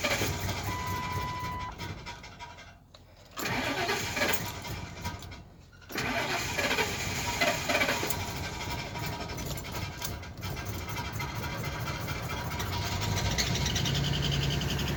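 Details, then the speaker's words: 2004 E350 gasoline bus, not run for a while, prone to hard starts: several cranking bursts broken by pauses before it catches and idles; hard start, cause unknown. "This gas bus always has hard starts. It's been a while since it was running, but let's see how she does."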